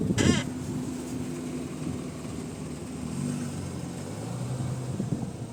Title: Tormek has a terrible creaking sound. A common problem if you work a lot.